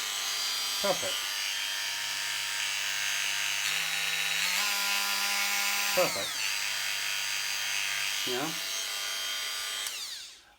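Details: Corded Bosch GOP 250 CE multitool after repair of a faulty lead/cable that cut power, switched on with the speed turned down: smooth, steady high buzz stepping cleanly with speed changes, no rattle or stutter; runs normally.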